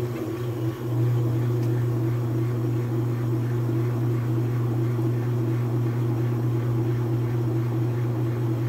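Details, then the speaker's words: Whirlpool/Kenmore washer that would not spin, after a clutch adjustment and greasing the bushing (temporary fix, estimated to last 8 months to a year): steady low hum, even water rush, smooth constant spin with no knocking or slipping. "problema resuelto amigos ahí tenemos lo que viene siendo el centrifugado cosa que no estaba haciendo la máquina"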